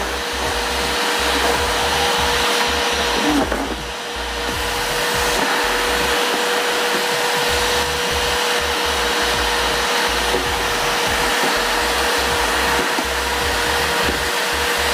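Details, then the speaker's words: Multipro 3-in-1 budget wet/dry/blow vacuum cleaner, 650 W, 10 L tank, running during suction test: steady high-pitched rushing whir, even motor tone, no surging or rattles; fairly noisy but not excessive, running normally. "Suaranya lumayan ya, lumayan berisik, tapi ini nggak berisik-berisik amat sih sebenarnya."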